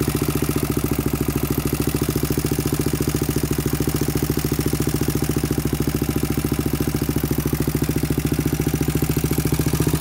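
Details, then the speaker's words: 2000 Honda 400EX single with cheap eBay piston and cylinder, first start at idle: loud, fast metallic top-end rattle, about three ticks a second, nearly cut out, no smoke; slack cam chain, later tightened. "i don't know what you guys think sounds kind of kind of weird like there's a tick in the top end it's not smoking out the back end so that's good"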